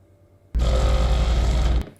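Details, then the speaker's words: Flojet water pump in a Casita travel trailer, after repair of a pump that had stopped working, power switched on briefly: steady low hum, starts cleanly, runs evenly about a second with no chatter or surging, then stops. Works normally. "and as you can see it works good"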